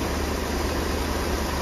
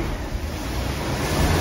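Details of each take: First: 1966 Ford Thunderbird, about 68,000 original miles, engine reassembled after sitting about two years and running on old gas. It idles with a quiet, even rumble under a steady hiss, with no misses or mechanical noises: a normal idle. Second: 1966 Ford Thunderbird V8, first start in years with old gas and weak battery: rough engine climbs on a blip then sags and lopes unevenly, won't hold idle; still getting fuel, owner suspects fuel pump or vacuum leak.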